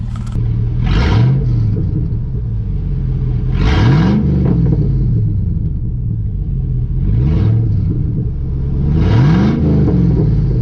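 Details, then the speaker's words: 5.3 Chevy Silverado: four throttle blips, each a loud, raw, deep roar. The muffler has rusted off, leaving it essentially straight-piped. "I mean I don't know why the muffler rusted off like that but Wow does that sound good"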